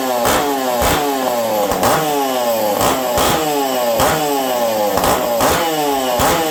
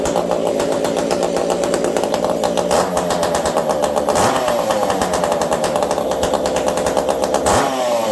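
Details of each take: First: Ironhorse ported Husqvarna 372XP chainsaw, cold weather, tuned slightly lean; repeated sharp blips about once a second, each rising and falling cleanly without bogging; runs strong, normal running. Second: Ported Ironhorse 372 XP chainsaw on a cold day, previously tuned in about 70-degree weather: high screaming two-stroke revving, mostly smooth with a slight stumble on throttle blips; low-speed mixture slightly lean from the cold, low jet richened.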